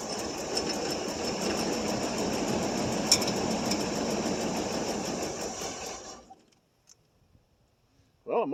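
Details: 1989 Pontiac Safari wagon, off the road 18 years, cold start at about 40°F with gas poured in the carburetor: about six seconds of rough uneven cranking, briefly catching, then dies; not getting steady fuel, old gas or empty tank suspected.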